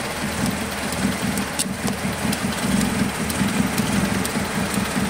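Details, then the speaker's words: Suzuki Carry 1.0 (ST 1000) that is hard to start, stutters and lacks power; idle surges and dips with a lumpy, stumbling beat, very unstable before the idle is raised, later traced to a faulty spark plug on cylinder three. "Waduh itu mesinnya sualnya langannya enggak stabil sama sekali"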